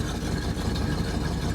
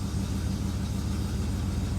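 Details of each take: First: 1967 Plymouth Fury III 383 V8 at its first start in about 15 years: loud, lumpy idle with raw, blatty exhaust and uneven puffing, smoke and burning-dust smell; exhaust leaking through a holed muffler. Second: 1967 Plymouth Fury III V8 (383) at its first start in 15 years, after a new fuel pump and oil change, needing a little gas to catch; it settles into a smooth, even low idle rumble with no misses, knocks or ticks.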